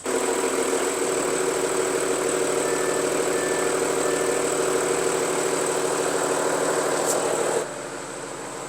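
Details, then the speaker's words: 2016 Audi A6 40TDI diesel with over 220,000 km, mostly long-distance use: loud, coarse rattle over the idle that dies down as soon as a little throttle is given. Play in a worn dual-mass flywheel; noise is worst when cold. "그러다 보니까 이 전에는 없던 증상이 이 플라이휠이라는 곳에서 유격이 생기면서 흔들리면서 나타나는 소리라고 보시면 돼요."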